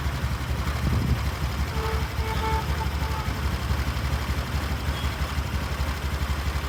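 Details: BS6 scooter used for deliveries: the starter churns in a steady low rhythm, but the engine never fires because the small in-tank fuel pump motor has failed; the owner blames running with under 1 litre of petrol.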